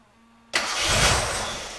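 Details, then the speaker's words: Barn-find one-owner Gilbern Invader Mk3 V6 start; after brief silence the starter catches and the engine fires straight up, swelling briefly then settling, a clean, sweet-sounding start. "oh okay i'll tell you what i tell you what that sounded sweet let's do it again oh my god nice that that sounded like a very good engine"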